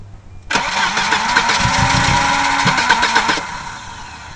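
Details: Volvo 240DL after a head gasket job cranks evenly with a few weak firings (about four) that never catch, then dies; not out of fuel. Cause: bent crank sensor reluctor ring; bending it back made it start right up.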